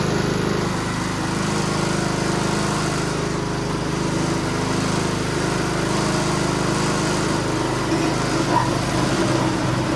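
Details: Ariens snowblower from a salvage yard, sat for years, fresh recreational fuel, choke on, primed twice, full rpm: the small single-cylinder engine holds a fast, even beat without stumbling or surging; it runs normally.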